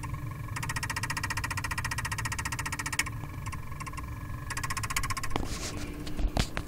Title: Crown Vic won't crank making clicking noise